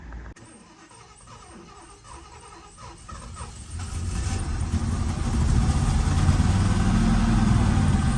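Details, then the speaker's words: 1977 Lincoln (Mark V) first start after about 3 years in storage, new fuel filter, two-stroke mix poured into the carb: starts right up after quick crank but runs rough and uneven, only on poured fuel; fuel starvation, likely out of gas. "Start right up. It's running rough, but oh, maybe out of gas. Let me get some more gas to it."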